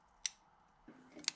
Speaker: so here we can see it's got that that little ridge there so the wiring harness clips onto this one fine makes the nice clipping noise can you hear that